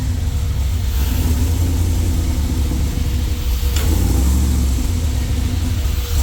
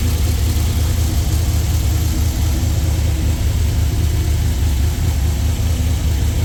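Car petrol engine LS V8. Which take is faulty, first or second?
first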